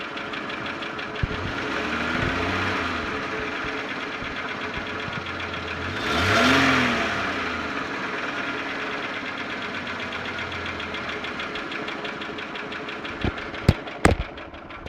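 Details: Holden Commodore VY V6, Series II Buick 3800 / Ecotec 3.8: steady fast tick about three a second over the idle; owner asks whether lifter or valvetrain noise (pushrods, rockers) or bottom end (connecting rod, bearing), unconfirmed.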